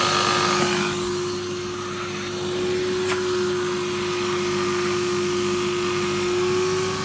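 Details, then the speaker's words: Vax 6131 vacuum, about 15 years old and heavily worn, with the handle snapped off. It uses paper bags; the bag is nearly half full and the filter is clogged. A steady motor whine with a strained airflow hiss: suction is badly reduced by the clogged filter. "Yeah, these use paper bags and the filter's quite clogged up as well. The bag isn't too full, but it's lost a lot of suction."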